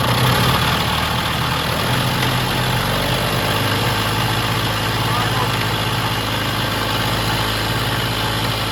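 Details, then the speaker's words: Vintage Jacobsen greens mower, small single-cylinder engine with the governor hooked up using the original Jacobsen throttle linkage: it holds a steady, even idle with no hunting or surging. It is not over-revving and runs normally. "I don't think it's over revving or anything, so we're going to leave it at that."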